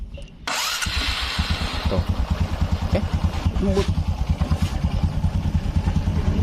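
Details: Old carbureted Honda Supra X 125 after a new rebore, valves and cam chain tensioner: starts first try and settles into a steady, even idle about three beats a second, no valve tapping; valves need readjusting after a week's running.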